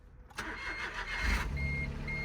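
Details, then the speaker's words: Crashed Smart car at a Copart yard, airbag deployed: short crank, engine catches and settles to steady, even idle with faint chime; normal start, runs. "It runs. We got a smart car that runs."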